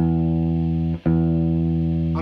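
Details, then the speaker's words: Sears Silvertone Twin Twelve 1484 cabinet with two 8-ohm speakers (4 ohm combined), after both distorting speakers were removed and repaired: a full bass note sustains cleanly with no buzz or rattle. Clean speaker output. "low note no longer has that noise anymore so looks like I was actually able to get those speakers fixed and they sound pretty good on this silvertone cabinet"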